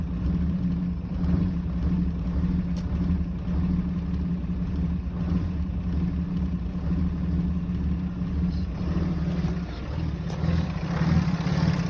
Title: Rough Idle